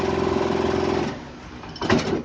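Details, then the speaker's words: Air cooler fan running: fast, even buzzing rattle and shaking that fades as it slows; vibration from unbalanced fan blades/motor plates; fix is balancing by fitting washers or turning the plates over. "ये देखिए मैंने इसको चालू कर रहा हूँ, ये देखिए कैसे आप सुन सकते हैं ये आवाज़, और बड़बड़ बड़बड़ बड़बड़ देखिए कर रही है।"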